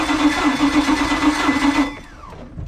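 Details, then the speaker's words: Volvo Penta 5.7 marine engine that shakes and runs badly: the starter cranks with a pulsing uneven beat, speeding up once each cycle at a dead spot; one cylinder has no compression, attributed to a stuck exhaust valve on number one. "you hear how there's that dead spot that spot where the starter speeds up is typically where it has less resistance meaning one cylinder is easy to turn over cuz there's no compression"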